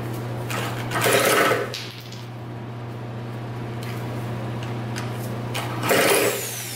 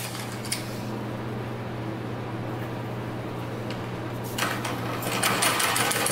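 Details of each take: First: 2000 Cobra 50cc two-stroke racing mini dirt bike spun over with a drill: steady whine turning over repeatedly, never catches or fires; cranks but won't start. Owner suspects the bad-looking air filter and plans to pour fuel down the carburetor. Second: 2000 Cobra 50cc two-stroke racing mini dirt bike after fuel was poured down the carburetor: high, fairly steady buzz holding near full throttle and rising at the end; running freely.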